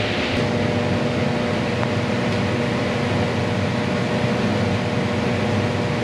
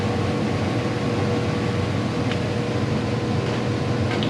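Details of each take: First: Condo furnace during routine maintenance, blower drawing 4 A, total 5.2 A: steady blower rush with constant low buzz from loose cabinet screws rattling; tightening the screws made the vibration go away. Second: Condo furnace blower after tightening loose screws, changing the filter and taping an air leak: smooth, steady hum with a faint even tone, no rattles or scraping, much quieter than before; healthy fan.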